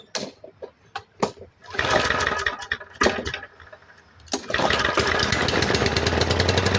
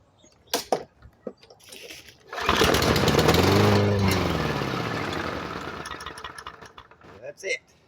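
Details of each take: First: MTD 139cc OHV lawn mower engine, a trash find that had water in it and was thrown away, started after reassembly: after a couple of pulls it fires and settles into a steady, even buzz with no surging or dying; normal running. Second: Discarded MTD 139cc OHV push mower with water in fuel: fires after priming, runs rough about three seconds, then fades and dies; carburetor issues.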